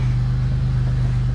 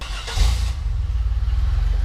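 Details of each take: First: Pontiac GTP at idle with a blown-out muffler that has a huge hole in it: loud, deep, droning unmuffled rumble with steady exhaust pulses. Exhaust leak. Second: GMC Duramax after fitting new mufflers, an exhaust leak up front still present: catches with a short burst, settles into steady even low muffled rumble, quieter; normal idle.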